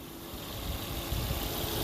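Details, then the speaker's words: 2006 Volvo S40 at idle, engine light on, long-term fuel trim 15.6% rising to 25-28%, oil leak: steady airy hiss of air sucking in over even idle; leaking PCV crankcase ventilation diaphragm behind oil filter housing causing vacuum leak and lean running. "listen to this when it runs hear all that air sucking in do it again hope we can hear that on video i mean to get closer it's not supposed to make that noise and what it is is this pcv system down here a crankcase ventilation system"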